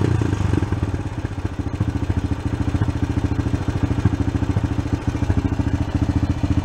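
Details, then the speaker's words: Honda Sport Trac ATV single-cylinder after carb cleaning and cracked case repair, idle adjusted: thump about 200 a minute rising and falling in loudness, fluttering idle, slow off idle; owner suspects slightly lean, not sure. "It's a little slow coming off the idle there, which I think is a little on the lean side. I'm not positive of that, though. You can kind of hear how it's dancing around and fluttering still."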